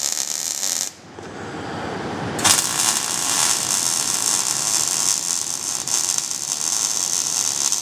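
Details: Introductory MIG (GMAW, properly MAG with active gas mix) fillet weld at quarter- to half-inch stickout; after a short pause the arc settles into a steady, crisp frying sizzle with no popping bursts, a normal, well-set MIG arc.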